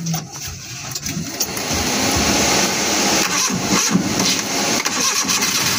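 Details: Suzuki F6A engine that would not start now cranks, catches and settles into a steady idle with no stumbling; it starts and runs.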